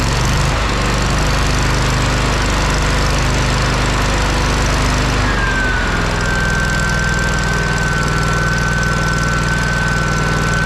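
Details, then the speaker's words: Kohler CH750 twin-cylinder engine on a Miller Trailblazer 302 Air Pak welder, after repair: it settles from a rough, uneven beat into a steady, even run with a clean whine on top; runs healthy. "you guys hear that that hasn't sounded that good in Millennium"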